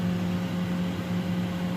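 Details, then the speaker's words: Frigidaire refrigerator, freezer not cooling, after replacing the evaporator fan motor and restarting: smooth constant hum with steady airflow hiss, no rattles; fan and fridge running normally. "it is running fill the air coming out through the sides"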